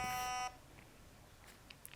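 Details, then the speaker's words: Novritsch SSR9 airsoft gearbox with the motor-height screw deliberately turned far too high, giving a high-pitched bad sound: a single short, sharp electronic beep from the ETU signals that the gearbox failed to cycle properly. "And now the ETU is signaling us that it couldn't cycle properly."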